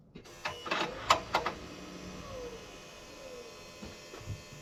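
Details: John Deere 7830 tractor at key-on, engine off, mic by the external VGT turbo actuator (a seized one was replaced; tractor was derating): quiet, then four or five light clicks as the ECU's travel test sweeps the linkage and settles, normal.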